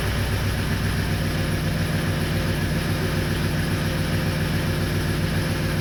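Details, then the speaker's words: 2004 6.0L Powerstroke diesel with a crank-no-start issue, started with the ICP sensor unplugged: steady low clatter with an uneven, loping idle. Injection control pressure is stuck around 1400–1500 psi, too high for idle. "now granted it doesn't run great because you got too much pressure um at idle"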